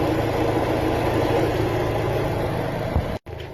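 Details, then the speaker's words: 2013 Dodge Dart, 209,969 miles, cylinder 1 misfire after a badly installed plug damaged the head and coil, with the old plug and coil refitted: even, steady idle with no stumble or knock. Threads slightly stripped, so the plug may pop out. "I put one old spark plug in and one old coil back in and the engine seems to run a lot better."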